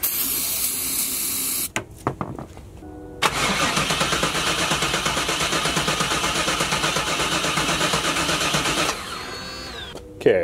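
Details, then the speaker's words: 1996 Chevrolet Camaro Z28 LT1 non-runner cranked with starting fluid: starter cranks steadily for several seconds, never catches or fires. No ignition indicated; fuel pressure also suspected missing; cause not yet diagnosed. "so that's telling me we have no ignition. And I will need to look into that."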